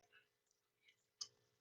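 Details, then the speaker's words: Relay rated 28 V DC, 10 A, held near the microphone with about 10 V from a bench supply on the coil: one sharp, crisp click over a faint hum as the contacts switch to the other pin, a normal relay click. "Si eso es lo que le resiste, volvemos a poner nuestra fuente, no le voy a modificar ni los 10 volts y se tiene que oír el clic."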